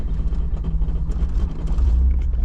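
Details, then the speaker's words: 60-year-old vintage Toyota JDM car, started cold after sitting a couple of weeks: deep, lumpy rumble surging and sagging unevenly; has been cutting in and out and running rough, carburetor suspected, not confirmed. "it's just been cutting in and out and it's not running right but it starts right on up even cold"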